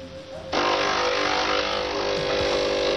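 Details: De'Longhi coffee machine after repair of brew unit and grinder (had ground poorly and squeaked loudly): pump kicks in abruptly and holds a steady, even hum about two and a half seconds during pre-infusion and brewing; healthy brewing cycle.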